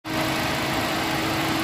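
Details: 2015 Ford Ka 1.5 Sigma with no power and hard morning starts after timing-belt work. A dirty fuel strainer had raised fuel pressure, making the mixture rich; after cleaning, a smooth, even idle with pressure 3.8 bar, normal fuel trims and the fan running.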